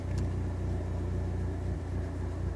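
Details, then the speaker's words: Dodge SRT4 after a free idle air controller (IAC) fix with carb cleaner, IAC resistance about 1200 ohms: low, lumpy idle with small uneven stumbles; still misfiring after restart. "No, it's still misfiring. There we go."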